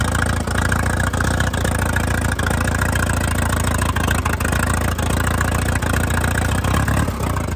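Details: 1952 Case DC3 tractor revived after 15 years parked: it idles steadily through an open pipe with a low, even popping rhythm, no knocks or misses, running healthy.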